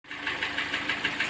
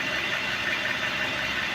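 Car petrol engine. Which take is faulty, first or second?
first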